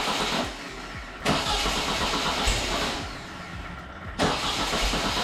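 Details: Once burnt-down VW Beetle flat-four, freshly rebuilt and started on an engine stand with the alternator not hooked up: two sharp starter bursts over a busy, uneven rattle as it cranks and catches. A sound first start.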